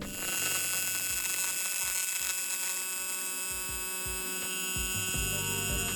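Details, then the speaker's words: TIG welding on plate at lower amperage: high buzzing arc with crackly, static-like pops at the start (arc deflection) before the puddle is cleanly established with proper heat input for the material thickness, then steadies into smoother hum. "Do you hear how it kind of sounds a little bit crackly or a little bit like static? This is arc deflection occurring still. It happens at lower amperage before our puddle is established cleanly,"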